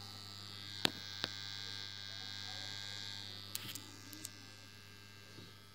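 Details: A transformer hums as a steady mains buzz with a thin high whine and a few stray clicks; the cause is suspected but not confirmed.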